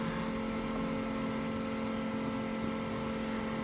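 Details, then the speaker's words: 1986 Chevrolet C30 dually, LS swap, driver's side rear door window after motor replacement: truck off, running on battery only, the motor gives a steady even whir with no grinding or clicking, slightly slow but full travel. "all right now the truck's not running it's just off the battery here so it's a little slow"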